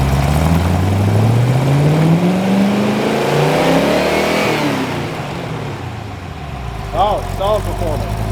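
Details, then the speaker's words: Chrysler 318-to-349 stroker on the engine stand at first firing, for a '73 Barracuda project, revved while timing reads about 20° then 30°: the V8 pulls cleanly up over four seconds, then drops back to an even idle; normal revving. "About 20 degrees of timing there, about 20 degrees. Take it up to 30, let's bring ours up. That's 30."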